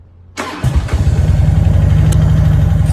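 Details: Harley Road King police motorcycle with a new battery, in neutral, fuel pump heard; it needs kickstand up and clutch in to start. Silence, then a brief crank catches fast into a lumpy, even idle of about four beats a second: a healthy start.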